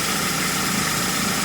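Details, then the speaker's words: Ford Focus, 93,905 km, 10 years old, after A/C restoration (system flushed, all O-rings, expansion valve and drier replaced, original compressor kept): engine idling with compressor engaged, now quieter, steady smooth hum without knocks; normal operation. "เสียงคอมแอร์ก็เบาลงนะครับเรียบลง"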